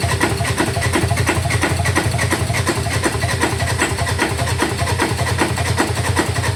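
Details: 2018 Ford Ranger 2.2 diesel: starter churns the engine over in uneven pulses, but it never catches and runs. Crank, no start, cause unknown.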